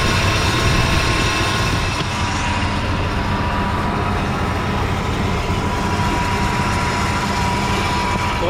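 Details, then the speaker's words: Old Chevy OBS Blazer Z71 idling after new belt fitted (tensioner possibly worn): rough scratchy rumble and thin ringing from the front accessories, from the AC compressor pulley rusted between compressor and pulley; noise improves as it runs. "I noticed the pulley on the AC compressor, it's still got it's got rust between here and the pulley itself. So, it's it's kind of noisy, but the more it runs, the better it gets."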